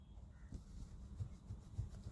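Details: Tata Altroz DCA driving with the door closed and a power window partly lowered; over low road rumble come dull, irregular thuds and rattles, about three per second, from the window glass loose in its channel. There is no noise with the glass fully closed.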